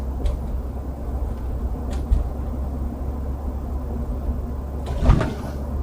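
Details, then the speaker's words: UAZ Patriot automatic, rear door previously creaking on bumps, after about 300 km (50 km gravel) with a heel-rest pad fix: low road rumble and dull bump thuds, no creak or squeak; cabin quiet. "Тишина. Ничего не скрипит и не издает шума. В машине тихо и спокойно ."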